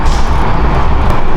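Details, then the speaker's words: McLaren 650S twin-turbo V8, back running after repairs, before planned upgrades. Deep, even rumble with no knocks, ticks or stumbles: clean, healthy engine. "we got sound she sounds great yes she does she sounds phenomenal the turbos on this thing"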